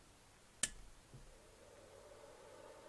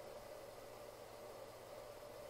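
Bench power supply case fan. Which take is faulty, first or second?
second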